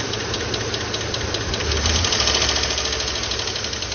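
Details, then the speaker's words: 2012 Chevrolet Tahoe petrol V8 at idle: quick, light lifter ticking. It fades and disappears when rpm is held at 2000–3000 for a minute or two, indicating a weak oil pump starving the lifters. "بدا يختفي خلاص الحين ما في صوت ولا شي هذا يدل على طرمبه الزيت ضعيفه"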